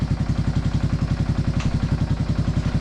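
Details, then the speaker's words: Big Bear 350 ATV after clutch and carburetor tuning: a steady, even single-cylinder thump at low idle with regular firing, no misses or hunting. The idle seems about right, just before dropping it into gear for a test ride. "Idle seems about right. Yeah. Going to drop it into gear good now."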